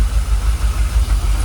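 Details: Jaguar XKR after about 10 years dormant, idling around 800 RPM with fuel pressure gauge on the Schrader valve reading 45 PSI; deep, steady, even idle, no ticks or stumbles, engine no longer rocking, much smoother than before; normal idle.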